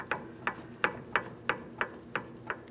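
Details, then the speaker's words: 2005–2010 Chrysler 300 5.7L V8: rear brake rotor hand-spun after installation during a rear CV axle replacement. A light regular scrape about three times a second shows the parking brake shoes just touching; a slight drag is the desired adjustment. "We have a slight bit of drag here. This is exactly what we're looking for. Too much will cause friction, and friction creates heat."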